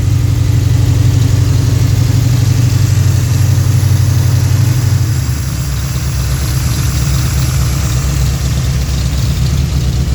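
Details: Freshly built Pontiac 428 V8 for a 1966 GTO, tri-power, mild cam: deep steady burble, slightly lumpy, idling about 900-950 rpm, a bit high for the cam; normal idle.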